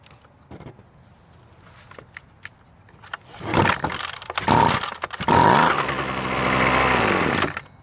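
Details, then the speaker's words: Used curved-shaft Husqvarna trimmer with brittle broken fuel lines: fires on fuel poured into carburetor throat, revs briefly and dies; fuel starvation, fuel lines and carb need replacing or cleaning. "it does run which is the good news but unfortunately we have to replace the fuel lines and go through the carb completely"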